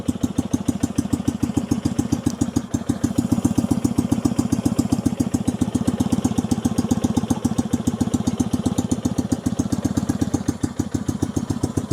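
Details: 1965 Honda CB160 161cc air-cooled parallel-twin, being revived: lumpy, uneven idle pulsing about 220 times a minute with a missing beat, running almost on one cylinder and stalling with throttle. One cylinder barely blows air while the other has strong compression: low compression in one cylinder.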